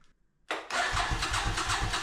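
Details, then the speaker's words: 37-year-old Suzuki Intruder 1400 motorcycle, unstarted over 5 years, carbs primed: starter spins engine with steady rapid compression pulses, never fires; cranks without starting, owner suspects dead fuel pump. "So, it's been a few weeks since my attempt to start the bike, and I have a suspicion that the fuel pump is dead."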